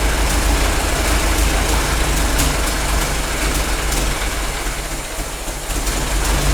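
A loose, uneven low chug at about three beats a second with extra clatter on top: a worn engine running a bit rough.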